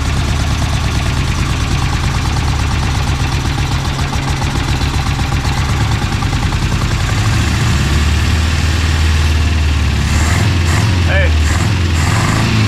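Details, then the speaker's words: Engine recently installed in the car, idling with a lumpy, uneven beat and a steady miss. The misfire is caused by a vacuum leak from an open port that should have a plug on it. "hey there we go vacuum leak supposed to be a plug on that"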